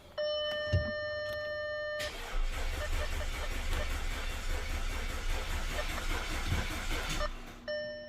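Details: Audi A4 2.0L turbo, first crank after major engine repairs, fuel pump fuse pulled, coils and plugs fitted: dash chimes, then about five seconds of brisk, even cranking with no dragging or clunks; starter and compression sound healthy.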